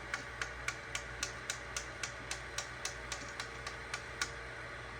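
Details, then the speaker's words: AnkerMake M5 3D printer during a filament change: sharp, even clicks about four per second over a quiet fan hum as the extruder gear skips and the filament won't feed. This has recurred three to four times. "and this is the same thing that's happened three to four times when I am changing the filament it's super annoying"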